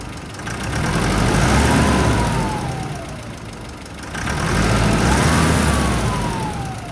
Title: Nissan Pathfinder R51 Turbo Whine part 2